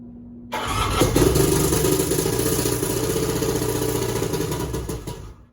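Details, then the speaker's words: Three-cylinder 1100 with a hard-starting problem, outer two spark plugs removed: catches at once and runs lumpy and choppy, about four pulses per second, on the middle cylinder only. "so it'll start and run easily on the mid cylinder with the other two plugs out"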